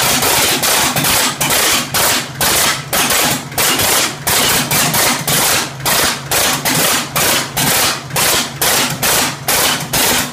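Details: 1967 Oliver 1750 diesel tractor, first start after second engine overhaul: harsh, sharp bangs about twice a second with choppy, uneven firing; knocking from incorrect injection timing, later corrected.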